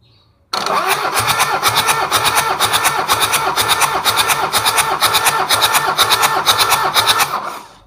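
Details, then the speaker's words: Toyota Kijang 2L diesel cranking for a compression test after an overhaul for low compression: even beats about two a second, no stumbles; cylinder 2 about 29, good while rings are not yet bedded in. "sama untuk nomor tiga ada diangkat 2905 bar udah menunjukkan untuk kompresinya bagus ini masih belum mapan yanur kalau udah mapan bisa 30/30 lebih"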